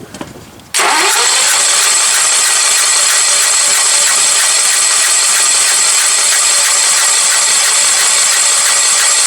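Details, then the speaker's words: 1975 Sears Suburban lawn tractor with milky oil, on fresh 91 gas: long even cranking with starter whir but no firing. It turns over but won't start, completely flooded, and the owner suspects lost compression. Engine to be replaced with a Coleman 196cc. "Flooded. Yeah, I don't think this engine has compression anymore. Just completely flooded out."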